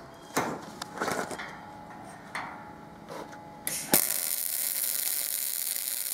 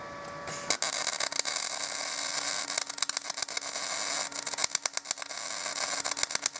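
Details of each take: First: Binzel-style MIG gun test after changing the liner, same settings, machine and wire: a few handling clicks, then an even, unbroken hiss without popping. Smooth steady MIG arc; the liner was not the issue. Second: MIG welding arc on a Binzel-style gun with 0.030 wire and matching tip: steady hiss breaking into irregular sputters and stutters from uneven wire feed through a worn gun liner; replacing the liner cures it.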